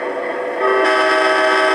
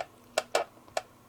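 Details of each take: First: Atlas Amtrak Genesis model locomotive sound playback after fixing the shell buzzing at high volume; nothing found rubbing on top: the horn chord plays clean and steady from the small speaker with no rattle or buzz. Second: Atlas Amtrak Genesis model locomotive being reassembled to cure a shell buzz at high sound volume. Short dry plastic clicks and scrapes as the shell shifts back and forth; the frame is rubbing the shell's screw posts.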